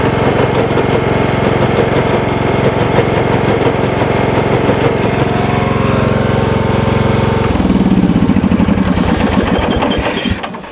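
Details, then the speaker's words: John Deere 160 lawn tractor, single-cylinder Kawasaki engine, 5-speed transmission: engine runs with uneven clunking, then bogs and stalls; transaxle case cracked and gears stripped, so it starts but no longer moves when the clutch is released. "anyway he says it appears as if the case cracked in the back here the transaxle case cracked and it spilled its guts on his driveway"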